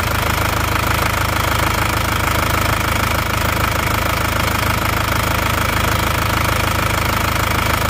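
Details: Isuzu Panther diesel (Solo, plate G) after new liners, new original rings, original parts, at working temperature: even, steady clatter at idle, about three beats a second, no misses or heavy knock; previous compression leak only caused oil-cap smoke. Healthy idle.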